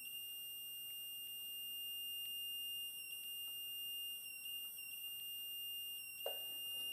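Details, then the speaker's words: Yamaha YL1 two-stroke, static ignition timing with a homemade buzzer indicator and a dial indicator: steady high tone changes just as the needle reaches zero, so the points open on time, under half a thousandth off. "reverse and watch the needle come to zero and listen for the tone change"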